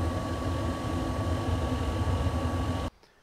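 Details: RV travel trailer furnace blower after repair of the squeaking heater motor: a steady, low droning hum with no squeal or squeak. Normal blower operation.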